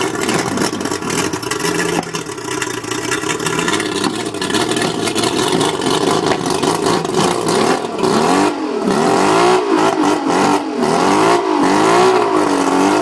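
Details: Mercury 135 outboard revving with an uneven, stumbling beat and irregular drops in pull as revs climb, a misfire; owner suspects the spark plugs, not confirmed.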